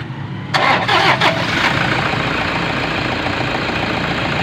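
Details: Toyota Innova with loud noise and battery warning light: short crank, engine catches cleanly and settles into even steady idle with no chirp or rattle; normal idle.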